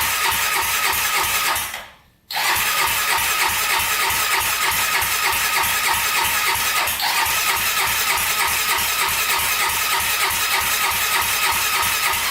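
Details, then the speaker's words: 1999 Honda 400EX quad, newly turbocharged with carburetor, first start attempt: fast even cranking that never fires; suspected insufficient draw to pull fuel through the carburetor into the intake, starts only with fuel poured down the intake. "so it looks like we're not getting enough draw to get the fuel up through the carburetor all the way into the intake of the engine"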